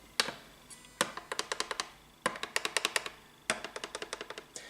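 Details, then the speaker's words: Tradition S-2000 Les Paul with a popped-up fret. A fret rocker set across the first three frets rocks in quick bursts of six to eight sharp clicks, worst mid-fret. The whole fret sits high, causing buzzing. "I just placed it on top of the first three frets here and if you can hear that that is major seriously major Rocking and it's it's actually worst here in the middle section of the fret"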